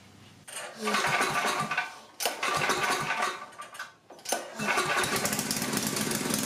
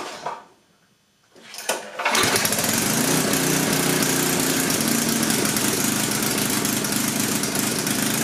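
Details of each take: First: Coleman Powermate 6250 generator, 10 hp Tecumseh engine, after a quarter-turn-out adjustment; after a couple of catches and dips it settles into a steady, even drone, running normally. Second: Coleman Powermate 6250 generator, 10 hp Tecumseh engine, test run after carburetor work with no fuel leaks from the bowl; pull start catches at once, steady slightly uneven loud run; runs well, air-fuel mixture needs a couple tiny adjustments.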